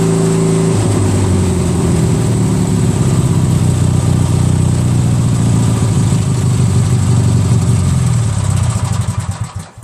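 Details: Craftsman DYT4000 lawn tractor with a 14hp Briggs opposed twin repower, after the PTO and deck issue was resolved. Steady, even low rumble at one speed, no knocks or slipping, then a clean wind-down. Running properly.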